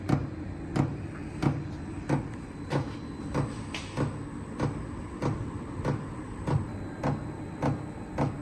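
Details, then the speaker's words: Chinese diesel heater, new, on first startup from a battery for a workshop: loud rhythmic thumping about 95 a minute with fan hum underneath, normal fuel pump and blower noise, no exhaust smoke yet. "let's just see if we can turn on oh it's making some noises there's no smoke out the exhaust yet oh it's pretty loud"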